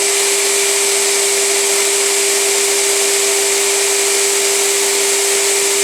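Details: Premiere Mini 175 vacuum motor after its dust-coated internals were cleaned; it sounded rough before. A smooth, even mid-pitched hum with an airy rush and no rattles or scraping. Runs much better, fixed.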